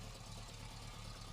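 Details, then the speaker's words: 1973 Subaru GL1400 coupe, original 63,000 miles: low steady idle with a soft repeating light thump, the typical Subaru idle thumping the owners say has been present for years. "Subaru engine often has a a light thumping noise at idle I'm not sure if you can hear it on the video but this car certainly has that"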